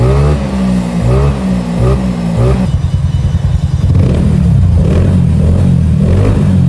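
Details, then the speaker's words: Bored-up Yamaha scooter after rebuild with original Yamaha rocker arms replacing fake ones, custom cam and CVT revision, sound check before dyno remap: even single-cylinder idle thump, then smooth-pickup blips, no knocking or clatter; sounds healthy. "Suaranya juga udah aman sentosa, jadi langsung kita lakukan remap dyno."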